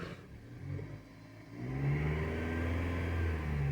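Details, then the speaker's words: Dodge (Avenger/Journey/Chrysler 200) after repair fixing a cats-fighting noise: quiet idle then clean smooth rev with no howl or whine; oscilloscope and touch show vibration gone, normal engine sound. "es el río normal del motor pero pues también como se dieron cuenta en el en el osciloscopio ya también se ve que no no y también les digo ya si yo le toco ya no se sienta la vibración ahí ya no se escucha"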